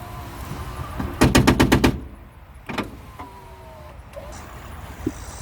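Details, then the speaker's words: 1997–2001 5th-gen Honda Prelude (BB6) power window: a quick burst of about seven sharp clacks as the motor runs, then scattered thuds. The regulator is suspected and is being replaced; the cause is not confirmed. "we can hear it but I can't see nothing it seems to be working but something's just not right with it"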